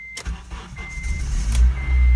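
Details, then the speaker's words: Acura RSX base after sitting two days: short crank bursts where the starter spins then stops cranking, before the engine finally catches and settles into a low rumble; hard starting after sitting, cause unknown. "То есть, когда машина стоит дня 2 или больше, и ты ее пытаешься завести, происходит вот такая фигня. Она крутит стартер, машина не заводится, и стартер просто перестает крутить в какой-то момент."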